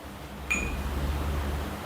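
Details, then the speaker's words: Whirlpool 7 kg condenser dryer that stops within minutes and shows the service light: a short beep, then a steady low hum as the drain pump runs with no water inside; fault later traced to a defective thermostat. "now you can hear the noise it's drain motor already start and also now no water inside but we can hear the"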